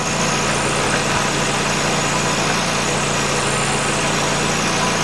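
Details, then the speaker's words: 2008 Nissan Qashqai 2.0 petrol, CVT, 4WD, 123,000 km, idling: constant tinny buzzing, whistling rattle from under the car; owner suspected the exhaust heat shield, found a rotted-through loose shield at the resonator rattling. "я примерно предполагаю что это экран на глушителе но сейчас посмотрю вам убежусь"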